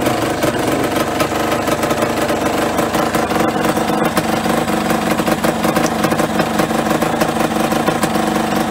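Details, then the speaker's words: Yamaha RD125LC two-stroke, kick-started for the first time after standing 17 years (engine seized when parked), petrol via makeshift funnel and pipe: rough crackle and rattle settling into a busy, uneven idle that keeps running. "so yeah I'm just pretty much gonna kick it over I think see if anything happens there it goes"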